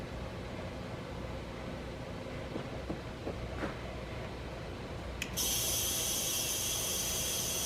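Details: Audi B5 S4 twin-turbo, engine off, boost leak test with compressed air: steady airy hiss from the pressurised intake piping that jumps sharply near the end; leak suspected at one of the lower charge couplers.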